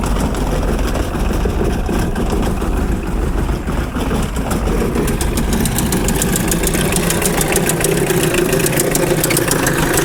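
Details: 1981 VW Rabbit pickup, 1.6 naturally aspirated diesel, after reman injection pump, cleaned tank pickup filter, timing set (.95 lift at TDC): still rough, heavy uneven clatter at idle, brief rev, cabin rattle, white smoke; cause unknown.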